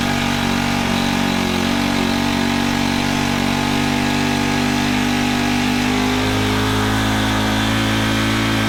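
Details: Honda FG110 with GX25, after cleaning oil-soaked air filter and with oil low: fast, uneven speed, brief sag near end, never settles to idle; overtight 10mm throttle-cable nut, to be loosened.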